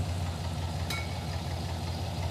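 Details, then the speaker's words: V8 with aftermarket ECM, listened to bank by bank: lumpy, uneven idle with a loping low thump that skips a beat, at least one dead cylinder on one side, running on six cylinders; cause was crossed spark plug wires. "got a at least one dead hole over here yeah yeah this is not happy over here yeah the engine doesn't run right it's running on six cylinders"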